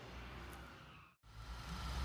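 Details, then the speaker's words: Audi A4 with TFSI direct-injection engine idling after diagnosis and replacement of the faulty component behind the engine noise and injection warning light; the fault was cleared and the light is off. Quiet, even hum with no knocks or ticks; normal idle. "o pessoal aí tá funcionando o carro achei ele tá bem legal agora"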